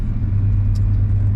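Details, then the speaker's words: 1989 Chevrolet C1500 Silverado work truck (GMT400) with true dual exhaust, recorded from inside the cab while driving. A deep, steady low rumble with no knocks or ticks; drives smooth and sounds healthy. "I don't know how well you can hear the motor from in here but it sounds pretty good"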